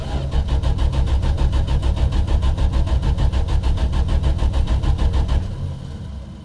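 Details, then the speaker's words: 1974 Valiant, first cold start after sitting about six months in cold weather, with a magnetic pickup ignition: the starter churns steadily for over five seconds without catching; cranks but won't fire, and the owner suspects a lack of fuel. "it's kind of sounding like it's also something that's not getting fuel which is very likely"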